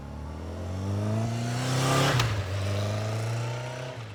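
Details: Newly restored 1983 Kawasaki KZ750 Spectre four-cylinder, after carburetor work, on a ride-by: smooth even note swelling and fading with pitch dropping steadily; clean healthy running, no misses.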